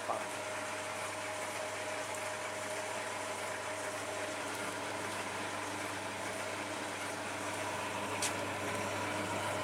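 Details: Tumble dryer in test mode on low heat, with a broken program dial: even low hum with a smooth, steady whir and no knocks or scraping; the dryer motor runs normally.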